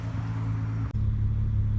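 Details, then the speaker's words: VR6 Corrado fully warmed after long storage and slow ~1200 rpm warm-up: low-temperature thermostat open, fan cycling at 188 degrees; steady, smooth low hum with even beat, no lifter ticking; normal warm idle. "and here we can see i've got the motor now warmed all the way up to temperature the low temperature thermostat has opened i am getting fan cycling 188 degrees"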